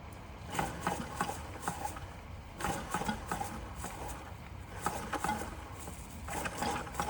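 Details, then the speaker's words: Bing 10/110 poppet-valve model steam engine during restoration, warming up; irregular wet crackling and gurgling bursts in short clusters with no steady beat yet, as condensation clears through the chimney before the engine will run. "Hear the condensation in the chimney. Once that condensation's gone, this will run."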